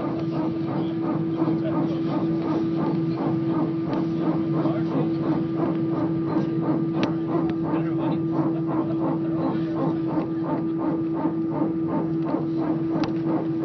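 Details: EasyJet flight from Belfast to Liverpool at take-off: a pulsing, animal-like moan repeating several times a second over the steady cabin roar. Source unknown and unconfirmed.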